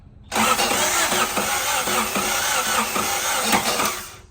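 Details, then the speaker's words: 1990 Honda Civic, 360,000-mile body, with ZC DOHC engine swap: starter churns with uneven, labouring rhythm for about four seconds without catching; battery suspected weak, charger considered. "If not, we might have to put the charger on it. The battery doesn't sound really strong."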